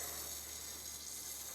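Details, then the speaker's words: Hot water copper pipe with a hole under the concrete slab to a guest bathroom, water on: steady, even high-pitched hiss of pressurised water escaping, slight knocking; water then seeps. "okay I can hear it going it's got some knocking sounds of some sort but slightly yeah okay the water is now seeping"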